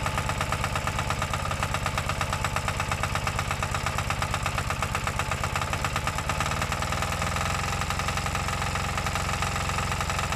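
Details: New Kanto KT-DP30H single-cylinder diesel 3-inch water pump engine, recoil pull-start, after first start: even steady thumping settling into smooth idle, no knocks or misses; healthy normal idle.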